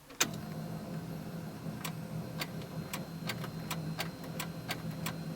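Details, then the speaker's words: 1975 Toyota Corolla KE35 with a replacement battery fitted: one sharp click, then only faint ticks and no cranking, though the starter light engages; the starter motor is suspected failed, with the battery ruled out. "it sounded like the battery was dead, but it's not. I just think I actually think the starter motor is gone."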